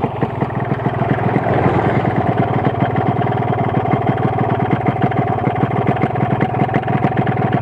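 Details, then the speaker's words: Yamaha RX King two-stroke with Altech exhaust and suspected low compression, engine listening test: steady idle with a quick, regular light knocking; loose con-rod, slightly loose piston and reed-valve noise; connecting rod knock. "Oke ini adalah gejala suara setang seeker jelas Suara membran kemrucuk setang seernya jelas seer itu sendiri bunyi jadi perpaduan suara suara membran suara seer yang agak longgar Setang Seher yang agak goyang"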